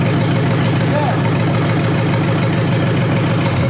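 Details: 1953 Hemi V8 revived engine with deep, even idle rumble and fine rapid ticking from the old mechanical fuel pump; oil pressure confirmed, running steadily and healthy.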